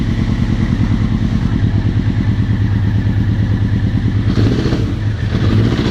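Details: 1999 Honda CBR900RR Fireblade running rough, with a low, uneven knocking under the exhaust beat that rises briefly with a throttle blip; engine knocking with power loss and extreme stator and rectifier heat-up, despite all-new electronics.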